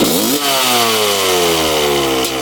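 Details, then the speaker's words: 1995 Honda CR250 two-stroke, first start after premix in plug hole and kill switch on: blips up then revs sag slowly; seller reported horrible mid-range bog, plus hard starting. "fired right up when I uh switched the kill switch you can hear it's a little boggy so he said mid-range is horrible"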